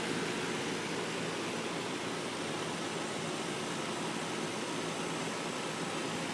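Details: Trane 2.5-ton heat pump in cool mode, installed 2002: steady, even airflow whoosh with no rattles, squeals or surging; outdoor unit running smoothly, normal operation.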